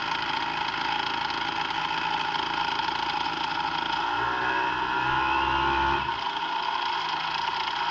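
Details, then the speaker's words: Brand-new Hangkai 3.5 HP two-stroke outboard (30:1 premix) just started: steady, even high buzz with a short rise in revs and a clean return to idle. It is running normally. "all right she starts up uh seems to be running pretty good"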